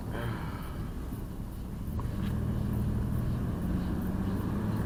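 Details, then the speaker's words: 2002 Jeep Liberty with swapped 3.7 engine on night road test, transmission shifting, no check engine light, temperature normal: low, even engine rumble under road noise with no misses or knocks, pulling smoothly; normal running. "She runs smooth, real smooth. Temperature staying normal."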